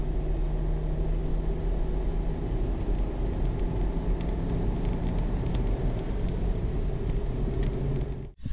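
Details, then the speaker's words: Jeep with a manual transmission driven under load at higher rpm after the belt was removed, its pulley cleaned and the belt refitted to cure a squeal above 2000–3000 rpm. Steady low engine and road rumble with no squeal or chirp; belt drive normal. "I don't hear a squeal or anything like that. It runs better than it did before, as in I don't hear a squeal when I get to a higher RPM."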